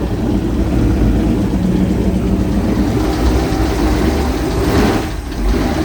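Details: Jersey Skiff JS39 17ft Bender boat, inboard 350ci V8 of about 400hp with Edelbrock aluminium heads, upgraded cam and Holley 600cfm carb, idling on shore water after a 2-year rest; steady, even low rumble, no knocks, misses or hunting, healthy.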